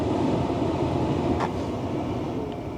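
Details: Tesla Model S P85 cabin blower after replacing blower motor resistor and DC/DC converter: steady even rush of air that drops slightly in level as fan speed is stepped down; normal blower operation.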